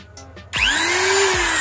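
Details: Electric trimmer/router after repair (wiring, on-off switch and carbon brushes checked with multimeter; brushes refitted) to cure sudden cut-outs: motor spins up quickly to a steady high whine, even pitch, no sputter or cut-out; runs normally.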